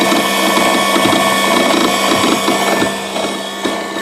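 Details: Brand-new Genie AWP-30S lift: pump whine with an uneven light clicking two to three times a second, like a solenoid switching in and out; it persists after one repair by the retailer; cause suspected, not confirmed.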